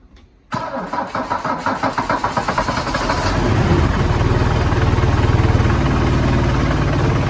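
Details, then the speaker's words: Mercedes W123 240D diesel under restoration, start of the day: cranks about a dozen times, catches near three seconds, settles into even, steady, quiet diesel clatter without misses; normal start and idle. "Thought before I filmed anything else today, I'll start it up. You guys can hear it run, hear how quiet it is."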